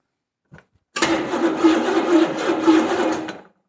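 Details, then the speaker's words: 1970 Buick Skylark Buick 350, fuel splashed in, distributor being adjusted: a few seconds of uneven starter churning about three turns a second, no firing; owner thinks timing now too advanced; cranks but won't start. "oh now it sounds like we're too advanced let's give it some more fuel okay just a splash"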